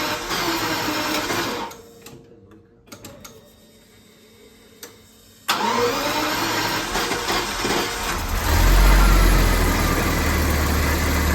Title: Jaguar XJ-S engine misfire